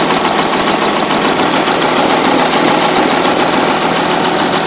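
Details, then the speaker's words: 2016 Audi Allroad 3.0 V6 turbodiesel, about 55,000 km, at idle: harsh metallic grinding and uneven knock from the right/passenger side; camshaft gears suspected, later found worn with a broken tooth on the intermediate gear. "В общем, идет, слышен такой скрежет, шум непонятный в работе именно с правой стороны, с пассажирской стороны. Грешим на распредвалы."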